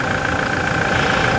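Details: 2016/17 Toyota Hilux after steering rack replacement, fluid change and system bleeding: steady, even engine idle with no whine or groan from the steering pump. Normal power steering at idle.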